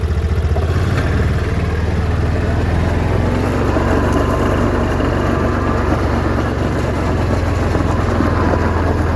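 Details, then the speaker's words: Yamaha Rhino after fitting new heavy-duty rear axles, driven in a sharp left turn in the yard where the wheel used to crunch: engine putters evenly, no crunching or clicking from the rear axle; healthy. "i don't hear any crunching on this side so let's flip it around let's try the other side"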